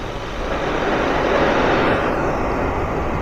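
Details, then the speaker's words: Ford Fiesta air conditioning leak heard through an ultrasonic leak detector played on a speaker: a steady rushing hiss that swells as the probe nears the leaking fitting, then eases; refrigerant gas squeezing past the gap, with no dye evidence found. "that's the sound of the uh sound of the uh the gas squeezing past the gap and creates an ultrasonic noise"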